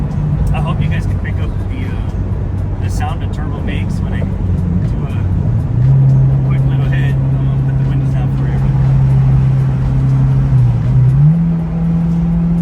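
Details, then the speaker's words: Turbo Honda S2000 driving after a flooded engine, suspected leaking injectors and idle issue: steady, even engine note with smooth low drone rising slightly, no misfire or stumble; running fine, clearing stuck fuel from exhaust. "car doesn't seem to be breaking up so it sounds good I don't know how well the camera picked it up but it seems like it's running fine"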